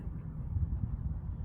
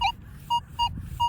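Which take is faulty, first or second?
first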